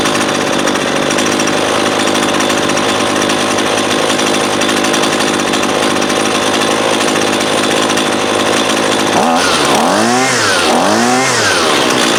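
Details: Husqvarna 128LD 28cc trimmer, warmed up with the line fully extended for load, that won't idle: a steady high buzz, then throttle blips surge and sag unevenly during low-side (left screw) carb adjustment; hesitation on acceleration, probably lean.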